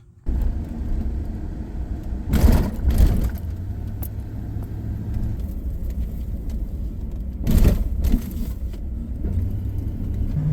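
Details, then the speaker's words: 2004 Chevy Silverado road test after the front-end repair, several miles over bumps: low road rumble with only dull thumps, the earlier rattly clunky front-end noise gone. "So as you hopefully heard in the last clip, that noise is gone. So I've been driving this truck now for several miles, gone over a bunch of bumps, and it feels significantly better."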